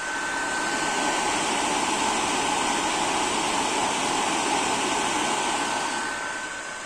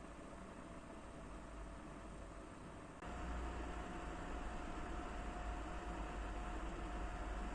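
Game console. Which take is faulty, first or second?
first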